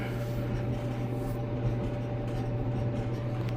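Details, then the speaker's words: Maytag Bravos XL MCT gas dryer, over five years old, after idler pulley replacement fixed a loud squeak; smooth steady low drone with no squeak or chirp, drum turning quietly and evenly. "So that's what it was. No squeaking and it's turned on."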